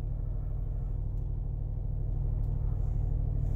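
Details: 2006 Dodge Magnum idling rough and unstable around 1500 rpm, surging unevenly, no throttle response, after months of stalling; sensors, plugs and wires already replaced; owner notes it doesn't stall when the check engine light is on; cause not yet found.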